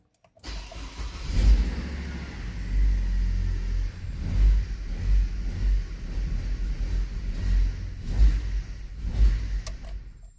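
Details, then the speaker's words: Hummer H3 started without the airbox and with the PCV hose disconnected during ignition coil diagnosis: idle surges and stumbles unevenly about every second from unmetered air; jerky idle prevents diagnosis until airbox and PCV are reconnected. "that's what happened when you don't reinstall the airbox you cannot diagnose any problem if your idle is jerky like that"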